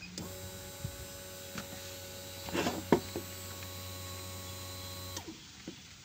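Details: 2011 Kawasaki Mule 620 4x4 FI, fuel pump activated via Jdiag scanner actuator test: quiet steady electric hum with faint whir for about five seconds then stops; pump priming and running normally.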